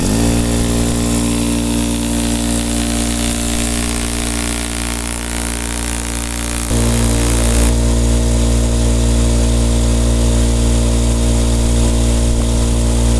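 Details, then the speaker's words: Craftsman air compressor model 919153131, after repair with a KK-4835 kit and the washer refitted under the cylinder: an even motor hum with a smooth pumping beat of about three strokes per second. It now keeps building pressure past its old stopping point; normal. "now before it would not up much pass where it is now and it will keep running"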